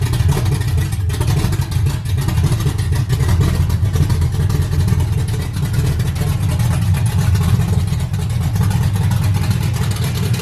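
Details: 5.3 LS V8 swap with a 340 lph Kemso fuel pump and a sloppy stage 2 cam, on initial start-up: deep, steady rumble holding an even idle with no knocks or misses; freshly swapped engine sounds healthy.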